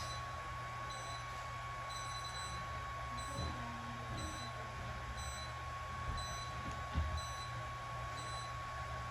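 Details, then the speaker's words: K-Laser therapy unit during an animal treatment: steady high tone with short beeps repeating throughout, close-together beeps marking parameter changes in strength or focus; signalling normally while running. "and then you'll hear the beeping the entire time that the treat is occurring uh the multiple beats close together is it changing the parameters on how strong the laser is what the focus is on"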